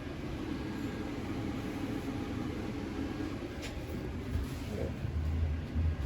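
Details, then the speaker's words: 2021 Tracer 24DBS travel trailer furnace running on a warm day: a soft, steady low whir of constant pitch with no rattles or squeals. The furnace blower is moving air normally through the wall ports. "you can kind of hear that whir of the furnace, and if you're not sure, you can go outside, and like I said, that exhaust gets hot, you can just check there."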